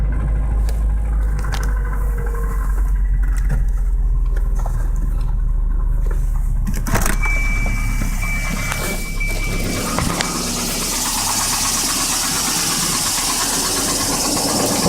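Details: 1986 Volvo 240 petrol engine at cold start, idling: loose, uneven knocking clatter over a deep rumble; owner says it is piston slap, not confirmed.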